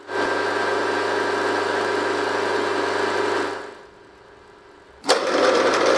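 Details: RF45-style milling machine (AMA 45, Taiwanese) geared head after a gearbox rebuild for a rattle, less backlash in the gear train, resealed and refilled with recommended gear oil: even, steady gear whir with no knocking or grinding, then spins down and restarts; noticeably quieter and smoother than before.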